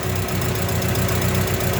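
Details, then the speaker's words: Engine after camshaft bearing cap repair: rough uneven idle from faulty carburetor (to be replaced) with fast light ticking on top — valve clearance needs a tune-up adjustment to remove the remaining noise. "Tapos yung tune up ich-tune up na lang para mawala 'yung ingay. Ah ano iba-bance na lang."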